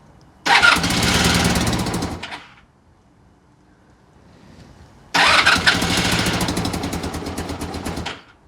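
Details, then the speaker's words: Honda VF1000F V4 motorcycle, old project bike being revived: lumpy, uneven running that catches for a couple of seconds and dies twice when revved; the two rear cylinders aren't firing, so it runs on two cylinders and stalls under throttle. "When I rev it, it goes out. So, back ones are not working. Back cylinder is not working. That's running on two cylinders."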